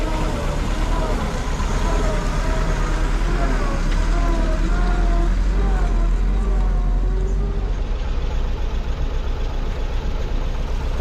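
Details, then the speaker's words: 1940s Ford flathead V8 truck, revived after at least 10 years parked, driving: deep, even V8 burble rising and falling with road speed through the gears, no knocks or misses; healthy running. "this is a lovely old uh Ford truck we've got here um it runs really nicely actually um and an even drives"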